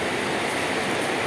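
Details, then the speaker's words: Electric fan that made a tak-tek-tok ticking, run after disassembly, brush cleaning of dust, and reassembly with the belt refitted and tightened: steady even whoosh with no ticking left, a normal fan run. "Oke sambil masih kita perhatikan itu bunyinya Apakah masih ada ternyata sudah oke Ya Sukses ini sahabat"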